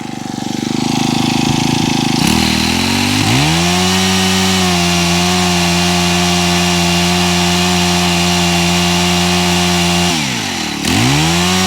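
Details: Honda HHH25 four-stroke hedge trimmer after pull cord repair, new fuel filter and carb tuning for bogging: revs climb cleanly to a steady high buzz and hold; one brief dip near the end recovers at once, running much better.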